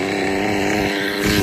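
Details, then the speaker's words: Hobao Pirate nitro RC two-stroke: buzzy, spitty, uneven note that sputters and won't clear on the rev, with no performance; high-speed needle set far too rich, to be leaned by turning it clockwise. "At the minute, it's very rich. That's why it's like spitty. That's why there's no performance."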